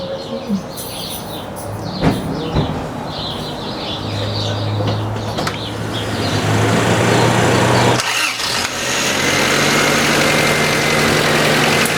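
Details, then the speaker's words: 1990 Honda CRX DX after ignition coil replacement, aftermarket distributor: engine catches and idles with a light steady ticking about 200 a minute; owner suspects valves need adjusting, not confirmed. "yep sounds good and it's not uh sounds like the valves probably need to be adjusted"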